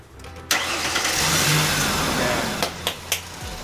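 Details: Ford Explorer after tightening loose starter bolts instead of replacing the starter: a short crank catches quickly into an even idle, with a few clunks after. The starter engages cleanly.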